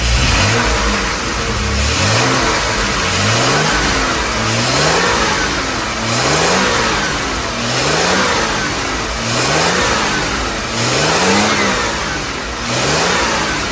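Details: 1978 Jaguar XJ6 Series 2 barn find, off the road 24 years, engine warming up after being stripped to repair a loud rattle; revs pick up cleanly on throttle blips about every two seconds, rising and falling smoothly with no rattle; normal revving.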